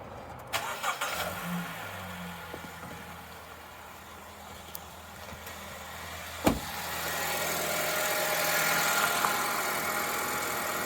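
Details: 2013 Honda Civic R18Z engine starts quickly without hesitation and settles into a smooth, even, quiet idle with no misses or knocks; healthy engine.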